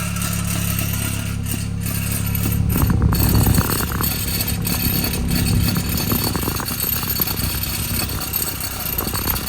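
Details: 2013 BMW 328xi (F30), engine idling on the lift: a steady hum with an uneven metallic rattle at the rear from an exhaust mount missing its clip.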